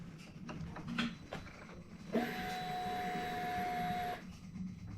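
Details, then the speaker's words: 2020 Indian Challenger at key-on after a 15-second power-down to clear a recurring ECU error code (ADDR 65, "contact dealer") that prevents starting: steady mid-pitched electric hum for about two seconds, then cuts off cleanly; fuel pump priming normally. "I hear the fuel start. Give me the okay here somewhere."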